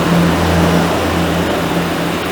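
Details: Chevrolet Onix 1.4 automatic LTZ at 40,000 km service, after timing belt replacement with timing checked by oscilloscope: steady, even low hum with no misses, knocks or ticks; healthy idle.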